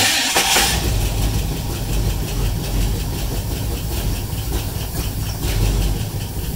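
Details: 1958 Pontiac Star Chief V8, sitting 27 years since 1993, first start after light starter rebuild, sanded points, new wires and manual solenoid signal wire, on starting fluid; catches after a sputter, runs loud and slightly rough with hissy top end.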